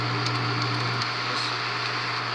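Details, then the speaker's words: Bell & Howell 644 B 8mm film projector, unrestored, no film loaded: steady low hum with busy mechanical whir that never settles; abnormal running, owner says it needs a new belt. "That doesn't sound good. Let's just keep it on normal because that does not sound good."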